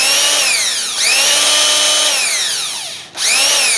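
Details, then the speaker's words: Makita BHP452 18V hammer drill after cleaning its dirt-clogged gearbox and regreasing the gears with light grease, weak battery, no load: motor spins up to a clean high whine and revs smoothly with no grinding. "I mean it was so clogged with dirt this this not a good battery either"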